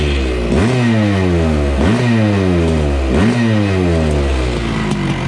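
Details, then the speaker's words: 1980 Honda CR250 Elsinore two-stroke, restored, still cold, carb air screw backed out one turn: three crisp throttle blips, revs climbing fast and dropping back cleanly; responsive engine revving normally. "oh man, that thing sounds great. Pretty responsive too. I'm surprised."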